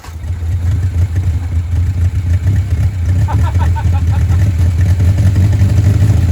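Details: 1959 Reliant Regal Mk5/Mk6 three-wheeler, first run in over 20 years, on full choke: steady deep even engine note, no knocks or misses, oil pressure showing, heavy smoke; running fine on full choke.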